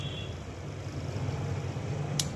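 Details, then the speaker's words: Fridge compressor tested with relay and overload after failing to start direct while drawing about 6 amps; low steady hum with no speed pickup, then sharp click as overload cuts out and amps drop; faulty compressor, won't start. "देखिए इधर हमारा ampere गिर गया, इधर इसने overload ने cut कर दिया, यानी कि इस कंप्रेसर में स्टार्टिंग नहीं है।"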